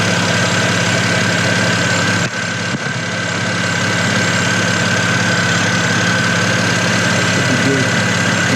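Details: BMW 335i N54 after replacing three pulleys and the serpentine belt (previously ticking, worse when revved), fan off: smooth steady idle with a faint constant belt whine, no squeal, chirp or tick; pulleys running fine.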